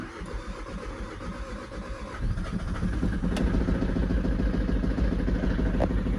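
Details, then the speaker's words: VW Caddy Maxi diesel on its first start after an injector repair: steady starter churn at about three and a half beats a second that never catches, as the fuel lines are still empty of diesel. "There's no diesel in there, see, because of the lines are empty."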